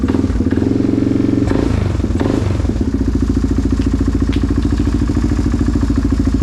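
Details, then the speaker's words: Yamaha Grizzly 660 ATV on a brief test fire after rebuild, with modified decompression mechanism, reinstalled inner valve springs and new radiator: a deep, beefy, throaty single-cylinder thump at steady idle after a blip; runs evenly, normal idle. "That sounds beefy. Sounds very very throaty."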